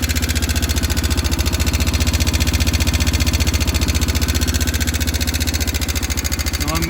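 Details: 2000 Yamaha Big Bear 350 ATV at idle: a lumpy single-cylinder beat with a very loud sharp tick on every beat, which proved to be valve clearance needing adjustment.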